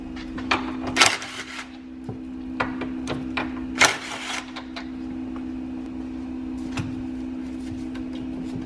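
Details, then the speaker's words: 2003 BMW E46 323i front control arm bushing rocked by hand to check for play; irregular dull clunks and knocks showing excessive play, bushing worn out and due for replacement; worn control arm bushing. "can see how much plays in this bushing and you can hear that one that noise that's when you know they're bad"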